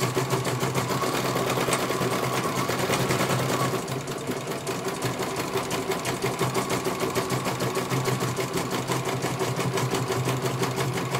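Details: CNY computer embroidery machine in for service; at first its motor (dinamo) would not turn at all and the bobbin case was missing. Even, steady stitching around three stitches a second with no knocks or catches as it finishes one colour; normal stitching, judged very good.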